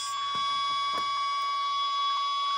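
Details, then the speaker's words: Ten Tec Paragon #1 (working transceiver), AM transistor radio held by the processor: steady high tone with faint ticks once a second, the real-time clock interrupt for 1-second timekeeping to the display; CPU cycle noise lower than non-working Paragon; normal. "now you can hear the real time clock ticking tick tick tick tick that's the interrupt from this board for the actual 1 second Paul keeping time"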